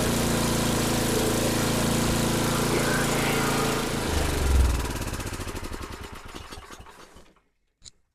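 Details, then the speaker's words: Murray 8hp snowblower, Tecumseh engine, sat all summer, bad fuel suspected, after carb cleaning: catches and holds a brisk fast idle about four seconds, then cuts out and coasts down; idle too high, to adjust at screw or governor arm. "all right cool Run's pretty good the only problem is the idle's a little high so I'm going to have to adjust that"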